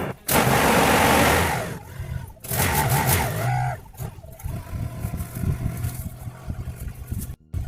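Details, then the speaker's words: 2007 Holden Rodeo ute, insurance repairable, sat 8 years: catches quickly after a short burst of cranking, then a steady idle under handling noise; clean, easy start after long storage. "That was pretty easy, not compared to some of these other ones I've got"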